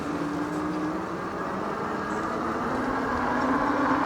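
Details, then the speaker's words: Tracer Loiter 26-inch fat tire cruiser e-bike, 800 W peak motor, riding in fifth gear under assist: steady low hum with slight tone drift over road and wind noise; definite motor hum. "Yeah, there's a definite hum from the motor saddle."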